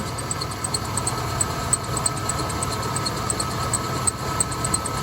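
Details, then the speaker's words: 1988 Ford E150 Econoline 4.9L at idle after replacing a seized tensioner idler pulley: faint high chirps about three per second, a lighter remaining belt squeak; owner suspects the belt needs replacing. "I hear the squeak back guys I wonder if I need a new belt maybe I'll need to do a new belt it's a lot better"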